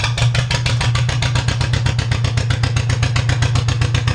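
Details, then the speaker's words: John Deere 430 tractor after general service with new plug wires, started on choke: loud, even single-engine chug with steady firing pulses, no misses or knocks; a little loud but runs flawlessly; normal running. "as you guys can see she's a little on the loud side but runs flawlessly"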